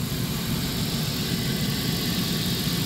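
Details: 1997 Dodge Caravan LE after water pump replacement and coolant refill, heater on max: steady, even idle with a smooth low hum, no knocks, ticks or squeals; normal idle.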